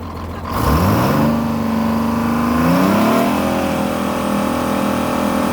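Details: Detroit Diesel 6-71 in an International Harvester truck, outdoors on a roughly 60°F day: a clear tone rises and settles with the revs over the diesel drone, the normal healthy whine of the Roots supercharger blower.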